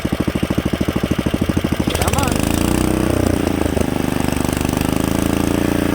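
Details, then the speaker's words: Rebuilt Kohler K91 engine after a carburetor float fix: slow even chuffing at low idle, then it picks up smoothly to a steady fast idle with no misses or knocks. Healthy; only minor governor adjustment might be needed. "so with a little bit more you know governor adjustment on a better adjusted carburetor i don't think you could ask for anything better than that"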